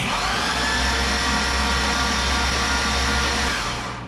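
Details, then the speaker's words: 2005 Chevy Corvette with built engine, headers and spark plugs removed, starter triggered by jumper at relay after starter replacement: fast steady whir with clean disengage clank, no grinding; engine turns over freely, normal. "you guys could hear that that disengage clanking that's what we weren't hearing with the other starter"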